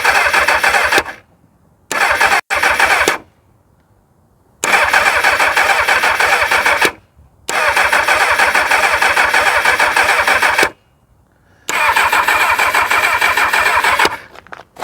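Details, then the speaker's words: 1999 Kawasaki ZX6R with a bit of choke: repeated bursts of steady fast cranking, a few seconds each with silent gaps, turns over but never fires. The owner did not hear the fuel pump prime and suspects it; spark is not checked, plugs under the airbox. "Well, we have a turnover. Now my concern is that I didn't hear that fuel pump start at all."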